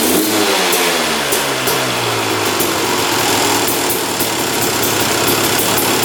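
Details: 2001 Honda CR250 two-stroke, fired on the choke; crackly, uneven revs with a raspy, blubbery note that picks up slowly, smoking a lot; owner suspects it is running rich.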